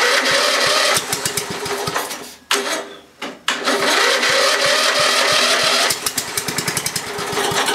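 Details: Briggs & Stratton 11 hp flathead (model 25), unrun for a year, rebuilt starter, one-piece carburetor from a 12.5 hp, cold start at 10am after 30s°F night: uneven firing bursts, near-stall gaps, ragged catching; hard to start.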